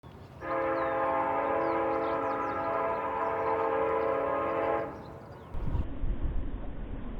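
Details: Mountain bike front disc brake gives a loud, steady, horn-like squeal for about four seconds when applied, with poor stopping, from WD40 or fork oil on the rotor, before Ajax paste conditioning.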